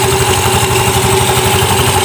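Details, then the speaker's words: Automatic scooter after cleaning dirt, sanding rust and tightening bolts in the clutch area to cure judder (gredeg) at initial start: even, steady, smooth low putter, no shudder or rattle; judder gone, normal idle. "Oke, sudah normal. Nah, ini nanti geredeknya sudah hilang, Guys. Geredek di saat star awal tuh dia sudah hilang, ya."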